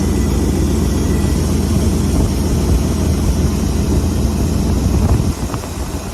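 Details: Ford F600 truck with a Holley 4412S two-barrel carburetor after tuneup and idle mixture screw adjustment: low, steady, even rumble with no misses or stumbles, idle set well down yet still smooth.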